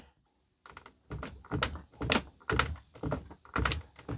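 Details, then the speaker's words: 17-year-old Newmar Mountain Aire motorhome with excessive steering wheel play and shake on the road: irregular dull clunks about two per second as the wheel is rocked; steering linkage knocking from excessive play. "the normal amount of play in one of these is you know kind of like this but listen really really care you hear thekk not good and"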